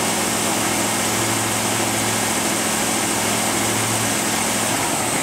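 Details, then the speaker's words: Ford EEC IV V8 petrol engine after replacing the distributor with pickup, cap and rotor, at slightly raised rpm: steady even hum with no misfire; previously cylinder 2 and intermittent misfires. "all right great no misfire at all uh next thing i'll show you is the hip and spout and coil current signals again you hear how nice and smooth this is running"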